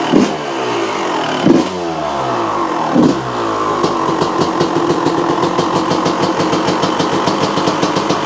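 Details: 1995 Honda CR250 two-stroke, revved then settling to a fast, even crackle; sharp ticking puffs reveal an exhaust leak; front-end noises too, motor otherwise fairly quiet; stuck choke/idle circuit screw wound fully in, idle still needs adjusting.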